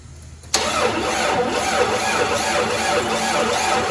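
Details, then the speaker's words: 1994 Jeep YJ after fuel pump replacement, pump now running with fuel pressure, jumped and cranked: starter turns over evenly at three to four pulses a second but never fires; crank no start, and a spark check afterwards found no spark. "nope okay so it looks like this is not the only problem but definitely that was a problem right"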